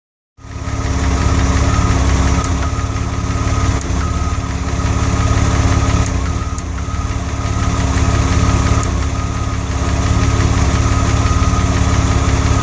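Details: DeLorean during cooling-system work: even pulsing idle that occasionally drops a beat, with a brief stumble midway; intermittent misfire, cause unknown.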